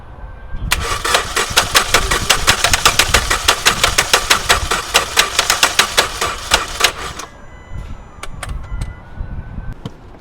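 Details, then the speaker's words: 2014 Hyundai Elantra GT non-start, cranked with a booster: about six seconds of cranking with a harsh metallic clatter on every turn and no catch; mechanic thinks the engine is toast, cause not confirmed. "Yeah, this engine apparently is having some serious problem."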